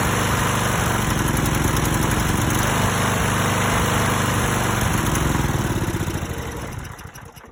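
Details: Stiga Pro 48 mower with Briggs & Stratton single-cylinder, new tank, air filter and spark plug, carburetor cleaned with refurbish kit: uneven stumbling chug with skipped pulses, then sags and dies; misfire, cause not found.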